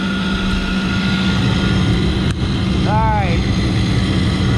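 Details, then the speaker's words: Loud, steady low hum over the running noise of a York rooftop unit's burner assembly, second stage down; the combustion blower is noisy and due for replacement. "I can't hear myself think over this combustion blow are freaking loud"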